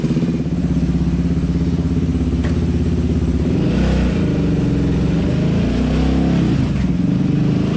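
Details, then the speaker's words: Yamaha Raptor 700 quad on a dyno after custom tune, with new Rossier exhaust and Fuel Customs intake, a bit louder than before; loud deep single-cylinder bark climbing and falling cleanly through each rev, no misses, knocks or rattles. Normal revving. "It sounds awesome. Like, it sounds like it's running really good."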